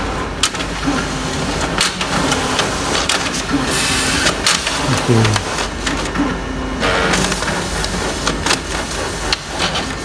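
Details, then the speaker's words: Fuji Xerox DocuCentre VI C4471 printing a configuration report with error 047-211: busy rattling, irregular clicks and rough grinding as paper keeps jamming and stopping at the exit assembly. "watch and hear guys the paper keeps juming and stop and exit assembly you can hear the grinding noise"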